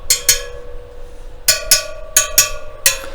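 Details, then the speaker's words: Newly laced and trued KTM wheel with new spokes, spokes tapped one by one to check tension: each gives a clear, bright ring at similar pitch with no dull thud; spokes tight, normal ring. "you can either tap it and listen for the sound, or you can just actually go on and a bit of tension. Yeah, that one's tight, that one's tight, that one's tight."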